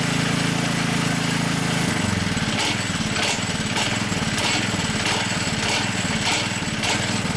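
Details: High-mileage Hayter 479A mower: light uneven slapping knock about every half second over the engine, gone when the blade brake engages; worn blade brake disc.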